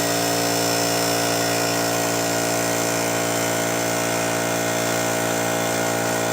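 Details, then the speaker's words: Old pancake air compressor running in garage, compared for noise against California Air Tools 2010A: loud steady electric hum with even pumping drone, no knocks or squeals; peaked over 85 decibels consistently, loud but running normally. "so I think as you can see it peaked over 85 decibels pretty consistently a pretty loud compressor"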